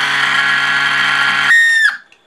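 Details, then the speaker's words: Cifer 2486 intelligent terminal, unused since 1982, powered up: a steady hum under a loud, piercing whine that shifts pitch, then dies away. It comes from the failing small 240 V 50–60 Hz 12 W cooling fan; the rest runs fine. "I'll fire it up and you can hear it. There you go. The little fan's making all that bloody noise."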